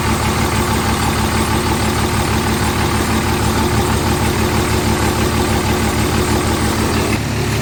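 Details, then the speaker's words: Hotshot truck diesel just fired up after injector replacement, turbo sprayed with penetrant, codes cleared: steady, even idle with regular low beat, no knocks or misses; quieter up front, louder in back; normal idle. "well I don't have any lights and she's a lot quieter up front and a lot louder in the back so definitely a lot louder in the back"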